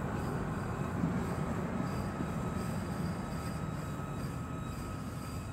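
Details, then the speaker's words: Car driving at night in Dearborn, Michigan: thin, steady high-pitched squeal over low road rumble; owner thinks it's the brakes, unconfirmed. "that if you guys can hear my breakes I think it's my breaks he that noise"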